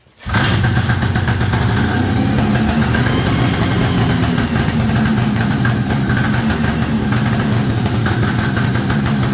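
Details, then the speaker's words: 1973 Columbia snowmobile two-stroke, rebuilt diaphragm carb, new fuel lines: catches quickly then holds a ragged, unsteady idle; pulse line from crankcase to carburetor not yet fitted, still needs tuning. "See what my problem is. I forgot to put the line on from the crankcase to the carburetor. So, yeah, let me do that."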